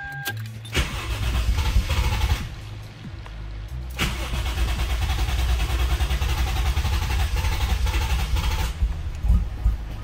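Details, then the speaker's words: 1JZ engine after deleting electronic throttle, idle adjust screw wound in, in neutral: starter cranks, engine coughs and splutters, briefly catches then fades out; nearly runs, probably needs more throttle, cause unconfirmed. "Doesn't want to start. Probably needs a bit more throttle. It like started to cough and splutter."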